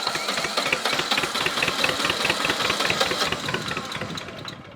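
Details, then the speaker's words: Old Shibaura diesel tractor starving for fuel (owner suspects an air leak or a restriction), after tightening the fuel lines and with no ether: it fires with uneven clatter at about two beats a second but won't hold running. Hard start. "It wanted to go on its own, so let's try it again. It's right there. It wants to go."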